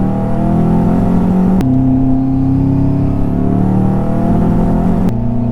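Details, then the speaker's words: Subaru WRX redlined the day before, then making an awful sound, under a pull in first gear: rough, choppy stuttering note with climbing pitch and flashing check engine light; misfire blamed on the spark plugs. "So, I've got a misfire of some sort. Obviously, dude, obviously I've got a misfire."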